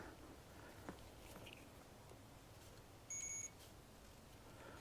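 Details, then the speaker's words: Ignition points from an antique Briggs & Stratton engine off a homemade mini farm tractor, bench-tested with a continuity meter: a short steady beep as the points close. The points work. "Alright, cool. So now we know the points work."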